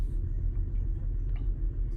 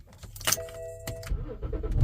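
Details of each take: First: 2010 BMW X5 E70 30i going into limp mode with reduced engine power, shaking badly at idle. A low, lumpy, stumbling idle rumble from misfiring, probably from a failed ignition coil or spark plug. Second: 2010 BMW X5 E70 30i that was going into limp mode with a rough idle, first start after all six ignition coils and spark plugs were replaced. Short crank, then a smooth, even idle, and misfire counts read zero. Normal idle.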